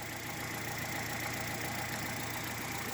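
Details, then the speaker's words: Hyundai Solaris after 1000 km on 5W30 oil, cold start while warming up, idle rpm dropping. Light, fast, even ticking of about three to four clicks a second over a steady idle is only the injectors. Normal injector ticking. "начал прогреваться обороты начали падать красота слышал только форсунки как щелкают"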